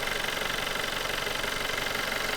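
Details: VW Golf 6 1.4 TSI petrol four that had strange, unpleasant start-up noises, heard after repair: a smooth, even idle with a light steady ticking and no rattle or knock, so it sounds healthy.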